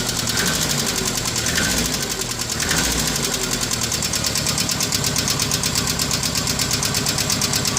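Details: Renault R12 at idle with a suspect engine noise: a fast, regular, light metallic ticking or knocking rides over the idle and stays steady throughout. The source has not been identified.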